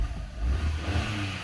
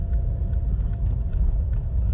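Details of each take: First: Short, clean rev rising and falling smoothly without stumbles or popping after replacing the ignition coil (parts swapped without checking codes; wiring still suspected possible); engine running evenly on all cylinders, healthy revving. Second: Car under full throttle up a hill, foot to the floor but barely moving and losing power intermittently; heavy engine drone with sharp stutters roughly twice a second, a one-cylinder misfire from a failed ignition coil pack.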